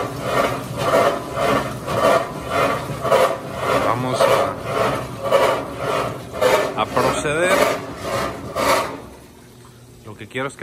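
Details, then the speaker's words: GE washer filled with water, washing: rhythmic rasping scrape from underneath about once a second with each agitator stroke; not the transmission, the drive pulley is rubbing the bottom plate. "ahora no es problema de transmisión los problemas básicamente la polea la que está pegando la lámina de abajo"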